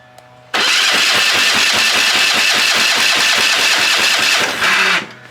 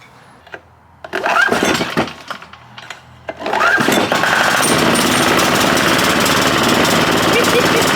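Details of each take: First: Dusty, long-sitting military surplus Hatz 1B20 diesel pressure washer on starting fluid, cold and not warmed up, injectors possibly needing cleaning: catches and chugs roughly about five pulses a second for four seconds, then dies; rough running. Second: Hatz 1B20 single-cylinder diesel from a military surplus pressure washer, long sat, needs the battery to start: a few sputtering tries, then it catches and settles into a steady, even chug, running healthy.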